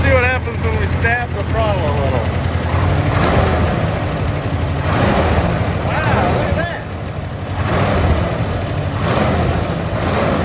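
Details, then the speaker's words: 1974 International Harvester half-ton pickup V8, first run in a long while after carburetor refuelled with ethanol-free fuel: lumpy uneven idle with stumbling dropouts, sounding like only three or four cylinders firing; cause not confirmed. "this is excellent that sounds like four cylinders there that sounds like four cylinders there i think maybe three it's the first time it's ran in quite a while so"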